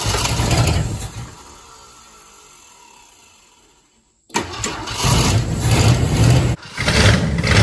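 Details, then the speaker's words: 1967 Ford Thunderbird 390 FE big block V8, sitting 20-30 years, cranks a few seconds then catches on fuel poured in the bowl, choke held open, and settles into a steady, even low rumble; starts and runs. "Man, this thing is sounding good though, huh? It don't sound bad at all. I love it."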